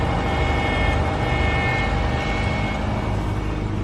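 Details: 2009 Subaru Forester 2.5 non-turbo, cold idle before repair: thin steady whine above the engine hum at constant pitch from a failing power steering pump, to be replaced along with the serpentine belt.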